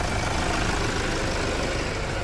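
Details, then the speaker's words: Toyota Hilux diesel, 2008–2010 generation, around half a million km, after pump and injector overhaul for loss of power: steady, even low diesel clatter at idle with no misses, knocks or surges; smooth normal idle. "olha aí e o motor tá redondinho"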